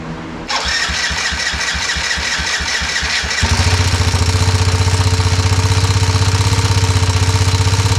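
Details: Yamaha motorcycle restoration, first start after fitting a brand-new carburetor and gasket with fresh gas. The starter churns about three seconds, then the engine catches and settles into a steady, even idle.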